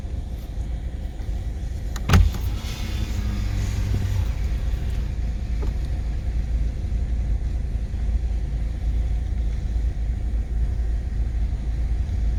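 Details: 2018/2019 Subaru XV 2.0 creeping off around 7 mph: short harsh grinding burst then steady rumble; occurs only shortly after engine has been switched off, not while idling; dealer blames front left brakes and rotors, owner disputes this.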